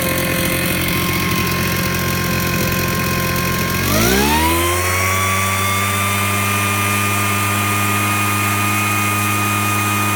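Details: Invatech Italia model 868 Mister Duster two-stroke blower, first run after priming and choked start: rough start, then quickly climbs to a steady even high chainsaw-like note without misses; runs healthy.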